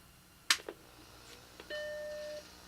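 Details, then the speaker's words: Macintosh compact (Plus/Classic/SE) powered on after being found filthy: sharp click, then clean steady startup chord over faint squirrel-cage fan noise; normal startup bong. "I hear the squirrel cage. We got bong."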